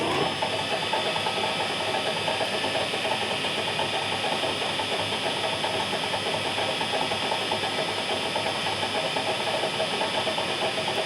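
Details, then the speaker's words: Nichols mill geared-head motor after fresh oil in the gearbox: steady, even gear whir with a hissy top. The clicking heard before the oil change seems gone, and no oil is flying; running smoothly. "I'm hearing the gears, but I don't think I'm getting those other little sounds."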